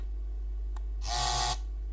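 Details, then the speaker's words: Xbox One controller on an Xbox One X, rumble tested from the vibration menu: a brief harsh, raspy buzz over a low hum as rumble starts, uneven and odd, suggesting a faulty part of the vibration mechanism or something loose inside. "oh, vibration works, but in an odd way. Yeah, like part of the mechanism would be faulty, or something was loose inside."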